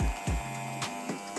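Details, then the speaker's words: Hair clipper after fitting a ceramic blade and loosening the tension adjustment: steady, even electric hum with light handling knocks; noise came from motor and panel set too close, now running smoothly. "bunyinya halus lagi jadi setelan ini nggak boleh terlalu kencang gak boleh terlalu kendor"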